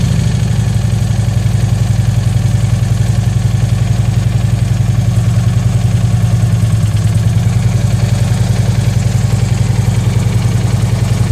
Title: Harley engine knock